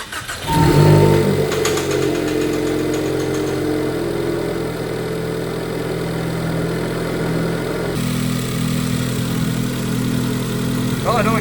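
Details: Ford Focus daily/track car after repair work on a whining noise the owner suspected came from the PCV crankcase baffle plate: a cold start that fires quickly and settles to a steady, slightly high cold idle with no whine or hiss. Normal cold start.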